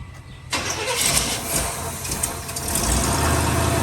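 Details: 1957 Chevrolet Bel Air V8, first start attempt after sitting about 19 years, sucking fuel: catches after cranking and keeps running with a steady low rumble; normal running.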